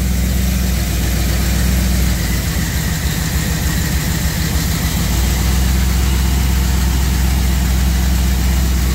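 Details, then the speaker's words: External voltage regulator with a bad ground overcharges at 16–18 V, blowing interior lights; with the jumper ground to the horn removed, idle sags, roughens and bogs under the heavy charging load, then settles. Owner will clean the mount and re-bolt it. "can even hear the engine bog down some with it so i don't know why i have a bad ground i'm going to clean up where it mounts a little bit and re-bolt it on but a bad ground can cause high voltage with an external voltage regulator who knew"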